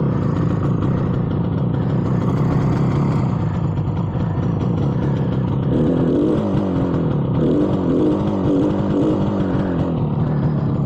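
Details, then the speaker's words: 58-year-old 1967 Yamaha YR1 two-stroke street bike with an unresolved gas leak, owner suspects gas leaked into the cylinders; warming up after starting, uneven clattery burble stumbling and picking up irregularly, smoky, rough running. "It's not running great, but it's running. Let it warm up for a second."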